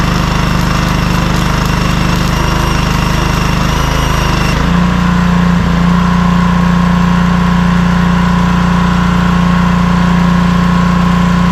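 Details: Cheap compact gas welder-generator, small engine holds a steady, even drone under a thin constant inverter-type whistle; rpm adjustable to lower amperage; normal running.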